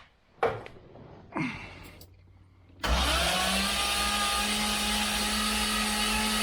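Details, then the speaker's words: Freshly rebuilt turbo engine, fuel pump fuse pulled, cranking on MSD starter to build oil pressure; after a couple of knocks an even steady drone, spins freely without binding; oil pressure 27.5 then 45 at cranking, normal. "We got oil pressure. 27.5, oh, 45 at cranking. That's beautiful."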